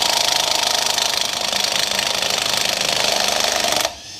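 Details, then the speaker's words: Electric impact wrench working on a Chevrolet Colorado's wheel hammers for about four seconds with a tired, uneven rattle and little punch before stopping; the tool's weak battery needs swapping. "yeah let me swap the battery this shit's on struggle Street"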